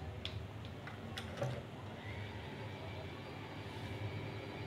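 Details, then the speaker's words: Ceiling fan after bearing replacement: steady low motor hum with no repeating tick or knock, the earlier tuk-tak knocking gone; fan runs smoothly and quietly, normal running. "Guys यह अब इसका टुक टक टक टक टक वाला शोर खत्म हो चुका हुआ है अब यह बिल्कुल ठीक हो चुका हुआ है"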